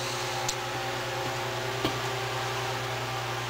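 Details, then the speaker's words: Restored Westinghouse fan, oscillating gear mechanism too stiff to work: smooth, steady low hum with even air rush and no knocks or scraping as it reaches full speed; runs quiet and clean as a standalone fan. "as a standalone fan it's fine because if you hear it it's nice and quiet and as it gets up to speed I'll show you power"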